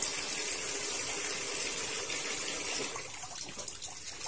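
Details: Sanyo washing machine after repair of a fault where it filled then leaked water out: even rushing hiss of water into the drum, no knocks or pump noise; filling normally.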